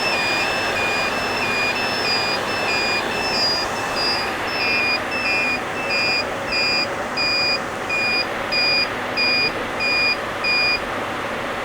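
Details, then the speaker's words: HP EVA6000 disk shelves beep on a fault such as power loss or loss of fibre channel link: repeated short high beeps in two alternating pitches, the pitch marking the shelf unit number, lowest unit lowest tone. "they beep and the beeping sound the pitch of the beep is corresponds to the unit number so the lowest unit number here has the lowest sound"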